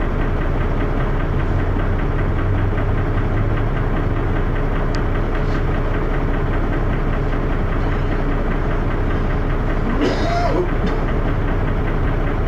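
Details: First Manchester Dennis Arrow bus, recorded on a Sony Ericsson Elm phone in 2012: loud, rough diesel idle with heavy thrash and a repeating knock about once a second. Engine knocking, cause unknown.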